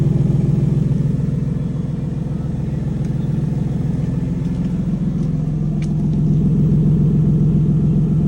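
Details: Lexus GS300 with the 2J engine at cold start, fast idle: raspy, puffing petrol-six exhaust note from an exhaust leak.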